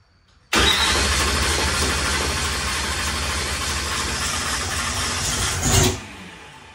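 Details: Car with mechanical fuel pump mounted above the tank plus new electric primer pump (primed to 73): engine catches straight away and holds a loud, steady run about five seconds before cutting; starts cleanly, fuel pressure holding.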